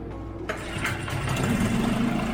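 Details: Barn-find 4-stroke 5 hp Mercury outboard, after clearing the water outlet: catches after a short crank and settles into a steady, even idle with no misses or knocks, water flowing; runs healthy.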